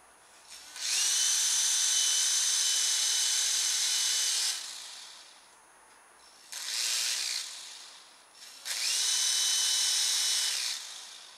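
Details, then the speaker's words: Silverlit PicooZ Sky Challenger toy helicopter after only seconds of charge: three bursts of high motor whine with nothing driven; the motor runs before the rotors move, and the owner suspects missing gear teeth. "the motor's starting to run before the rotors are moving so I think we might have some teeth Miss Missing in there"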